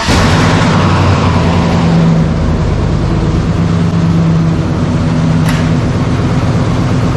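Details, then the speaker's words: 1970 Chevy C10 with freshly installed 5.3L LS V8 (about 175k miles; new high-volume oil pump, timing chain and gears, rear main seal), first start before PCM programming; deep, smooth, even idle with no ticking or knocking: normal idle. "Sounds real good. Yeah."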